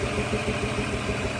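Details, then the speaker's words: Z car after a water pump, thermostat and radiator flush, started on the first try with a little gas: idle has a slight lope with an uneven beat, a shaky miss suggesting it needs a tune-up, though it runs strong. "it's a little shaky you might need a tune-up or something it sounds like it's got a little bit of a Miss in there I can hear it but it runs pretty strong a little motor"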